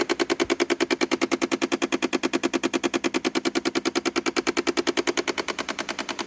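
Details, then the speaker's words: Car with the engine off, noise starting when the door is opened: sharp, steady clicking about three times a second from inside the dash; failing door lock actuator, which was replaced. "And it sounds like it's coming from inside the dash. You hear it's a repeating rhythm. It's got to be mechanical because it's repeating at a steady rate."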